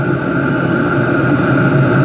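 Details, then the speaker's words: Hcalory HC-A04 5-8 kW portable diesel air heater turned up via mode button to its highest heat setting: steady loud whoosh with constant fan hum that firms up as it cranks up; running normally at high heat. "You can rise it all the way up to the higher settings, and listen, you'll hear the heater respond. It's really starting to crank up"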